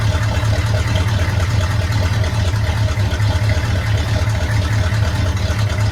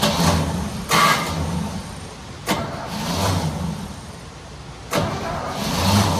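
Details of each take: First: 1972 Chevy C10 small-block V8, warm engine, not a cold start, after valve covers were pulled: steady, even idle thump with no misses, knocks or hunting. Runs well; timing still needs fine-tuning. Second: Small block in 1972 Chevy C10 just rescued, first start attempts, weak starter and fuel delivery in question: catches, surges unevenly and sags again; runs but not happy; rough running, cause unconfirmed.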